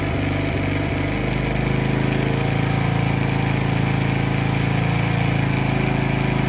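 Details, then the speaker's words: Polaris Outlaw 50 kids' ATV after a thumb-to-twist throttle conversion, started with key on and brake squeezed: engine stumbles unevenly, then settles into a flat, steady drone and won't rev; owner suspects the throttle setup upsets the timing. "okay so now it won't rev if you guys heard that so now it thinks that it can that the thr's been you hear that so messes up the timing"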